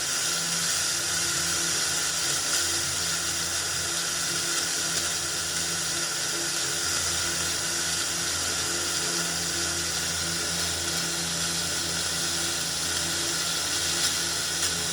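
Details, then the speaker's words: Old Philips RR286 radio cassette recorder under repair, amplifier board working: steady hiss with faint crackle, no station tuned in; FM static between stations, signal hard to catch. "क्योंकि दोस्तों अब बहुत सारा signal आ गया ना 5G का जमाना आ गया तो सिग्नल पकड़ना बहुत ही मुश्किल है"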